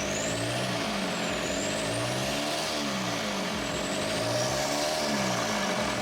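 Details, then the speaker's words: VW TDI mechanical diesel swapped into 1950 Willys Wagon on Jeep Wrangler chassis, after adjusting injection pump timing: steady, even diesel clatter at idle, no misses or stumbles, much less smoke; normal idle. "yeah a lot less smoke probably a normal amount of smoke pretty cool all right well we got it running good job"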